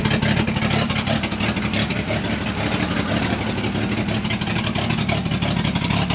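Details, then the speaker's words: 1966 International 1200A pickup idling while still warming up to temperature: loud, raw, crackly exhaust bark with sharp uneven pulses and hiss; it runs well but is effectively open header with the muffler off. "I'm still waiting for the thing to get up to temperature it's running really good it's just really you know it's open header right now so he doesn't like"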